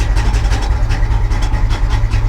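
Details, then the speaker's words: Abandoned 1980s Pontiac Firebird manual at a salvage auction, first start with clutch in and in neutral: loud, lumpy idle with uneven pulsing exhaust beats; rough running, and it later kept running with the key removed. "let's put the key in the ignition let's see let's see what it does clutch in [Music] neutral [Music] that doesn't sound good"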